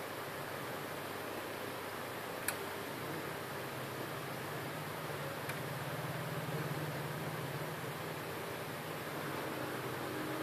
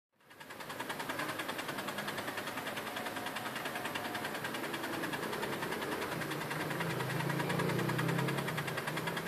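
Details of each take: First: HP LaserJet M402dne laser printer hums and whirs steadily with no repeating gear click after the Tray 2 paper pickup gear mechanism tension spring and gears were reseated. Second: HP LaserJet M402dne running: a steady whirring drive with about three sharp clicks a second, from a dislodged tension spring caught in the Tray 2 paper pickup gear mechanism.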